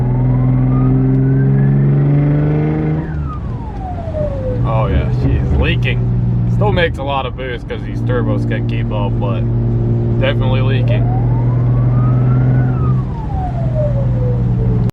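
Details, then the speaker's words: Audi B5 S4 twin-turbo: engine pulls hard through the revs with a hissy rushing whistle on boost; pressurised intake piping/couplers leaking, before boost leak testing. "I'll let you guys hear that leak listen to that boost leak"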